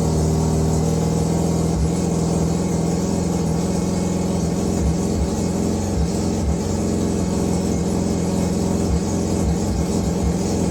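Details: Mazda 323 rotary that had been running rough, after setting the timing and refitting the old distributor parts: a steady, smooth buzzing drone at an even pitch with no misses or rattles; normal running.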